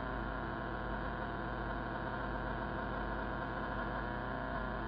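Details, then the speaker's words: Radio on AM, 15 m band, Yagi aimed about 220–224°: constant harsh buzz at 10–20 over S9, no speech; power-line RFI from an arcing utility-pole lightning arrester. "go to am or an am this noise this is S9 plus and I pointed out if I point the antenna at this"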